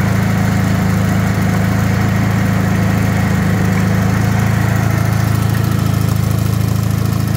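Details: Rebuilt Wisconsin THD air-cooled twin on a bench, 20-over pistons, bored, a little loose, with a flush head said to run quieter: steady, even thump at constant speed, no clatter or knocking; smooth and healthy.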